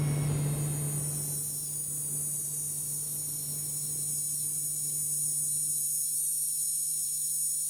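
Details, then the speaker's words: RTX Pro 6000 graphics card under load drawing 600 W, about 20 minutes in: steady high-pitched coil whine, the worst heard on a graphics card, over loud fan rush and low hum; whine worse at higher frame rates. "With the high fan noise, you can't hear how bad the coil whine is. Because honestly, I think this is the worst coil whine I have ever heard on a graphics card. It's insanely loud."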